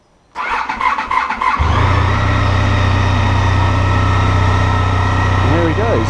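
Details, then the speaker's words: Honda ST1300 Pan European after 3.5 months winter storage, first start of the year: brief crank, fires on first turn of the key and settles into smooth, even idle with odd exhaust note; normal cold start. "Heard a Pan before, they got a really strange exhaust note. Sound like the Jetson car. But he seems okay, so I'm going to let him run for a few minutes and hopefully go out for a ride."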